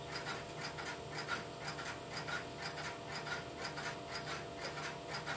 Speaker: I will let the camera run for a minute or so to pick up the sound of the interrupter in the background and then I will place a phone call through the switch.